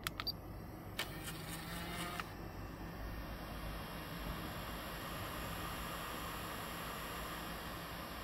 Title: Pioneer KEH-P9700R noisy eject and face down noisy